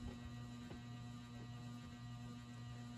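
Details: Rare late-1970s/early-80s ERS American Art Series ceiling fan at a middle speed setting: steady low electrical hum with a fixed tone, no knocks; the motor always complains at this speed but runs silent at full power.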